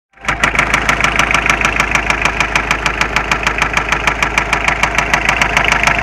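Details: Mitsubishi Space Runner 2.0 diesel; knock and shaking began suddenly while driving, idle steady, starts tolerably; slightly loosening an injector made no difference. Loud, sharp, regular knock about three times a second over the clatter; cause unknown.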